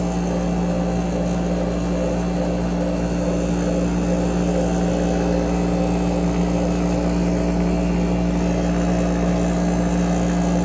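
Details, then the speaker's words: AC unit, front cover off, compressor starting after sitting unused; hum and fan rush with uneven chatter as pressure equalizes, chattery stationary-vane rotary compressor settling in. "It's coming up, and you can hear it changing sound as the pressure equalizes or goes down because it hasn't run in a while. And there you can hear it. Because it's a stationary vane rotor, it gets pretty chattery sometimes."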